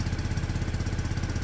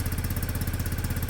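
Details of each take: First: Peugeot Satelis scooter (barn find, immobiliser/ECU repair) restarted cold: low, lumpy uneven chuffing idle that won't rev yet; automatic choke suspected, may just be warming up; engine reluctant to rev when cold. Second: Peugeot Satelis scooter, barn find, after immobiliser/ECU fix: even, low thudding about twelve beats a second, smooth and regular with no misses or knocks; healthy single-cylinder idle.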